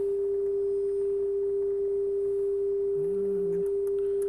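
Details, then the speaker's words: Lafayette LR-441 quadraphonic receiver, AM tuner alignment on bench: coils adjusted until the steady test tone is pure with no warble, hum or hiss; tuner aligned and receiving properly. "Right about there, huh? That's pretty clear there. Then we'll adjust the other one."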